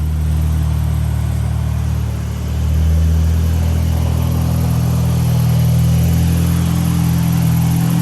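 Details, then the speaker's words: Supercharged 1998 Honda Prelude (Jackson Racing supercharger, Crane Cams ignition box and coil, DC Sports header, cat still fitted) on a dyno pull at full load: strong steady drone with smooth supercharger whir and whistle, no misses; fuel clean, healthy. "180 millimeter pulled back. Yeah, that was clean on the fuel."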